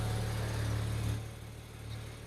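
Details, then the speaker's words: BMW 335i N54 after DIY install of an MFactory 1.5-way LSD differential, warming up, idling in drive: low, even hum with no clunk, whine or rattle from the rear end; sounds healthy. "No strange noises from the rear end. Okay, that's a good sign."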